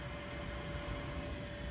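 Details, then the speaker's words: Air Temp ultra-low-NOx furnace, noisy on startup, after setting gas pressure to 3.36 against a nominal 3.3: steady, even burner roar with faint constant hum and no popping or rumble; running smooth. "that better that sounds smooth to there ain't too much more I can do my friend"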